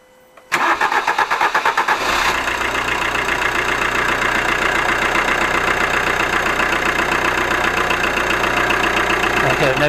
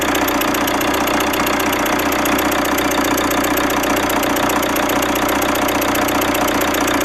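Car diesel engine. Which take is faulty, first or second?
second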